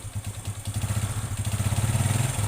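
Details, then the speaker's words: Honda Revo motorcycle engine ran low on engine oil: rough hollow tek-tek clatter about ten times a second at idle during roughly two-minute warm-up, before teardown; piston slap suspected from oil starvation. "nah kurang lebih seperti ini suaranya temanteman sebelum dibongkar saya lakukan analisa dulu ya untuk mengetahui dari mana bunyi itu disebabkan atau penyebabnya itu dari mana"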